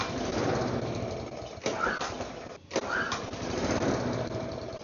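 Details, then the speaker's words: Neglected mower after fresh fuel and a cleaned rusty spark plug; the small engine fires, sags and nearly dies, then picks up again because the idle was set too low, so it gets turned up. "Oh, it's on low idle. Let me turn the idle up a little bit."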